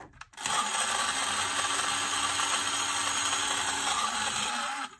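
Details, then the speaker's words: Unistar 5-in-1 retro power handy kit: harsh, rattly high-pitched whir held steady for several seconds, far louder and rougher than a small motor should be; works badly with horrible noise. "that also that's also works bad making horrible noise we've got a nice tan"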